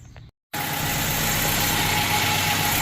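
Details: 1st-gen Toyota 4Runner (1984–1995 4x4) after installing a Flex-a-Lite electric fan kit with temperature probe: steady even idle under a constant airy fan rush, no knocks or rattles; engine and fan running fine.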